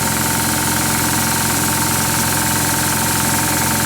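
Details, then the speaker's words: Oilless diaphragm paint-sprayer compressor without a pressure switch or regulator: steady buzzing drone with constant hiss of air venting, no cut-out. Once at pressure it keeps running and blowing off, by design. "It doesn't shut off. It doesn't have a regulator that starts it and stops it and dumps the valve. What it does is once it gets up to whatever the pressure is, it just goes blowing out of here and stays running."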